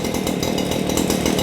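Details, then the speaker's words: Stihl commercial articulating hedge trimmer (possibly HL94K) that had no power and sounded like running in a vacuum, after fix, choke on: small two-stroke buzzes freely with crisp even rasp, no bogging, now breathing properly. "You can tell the difference just by the sound. It sounds like it can breathe now."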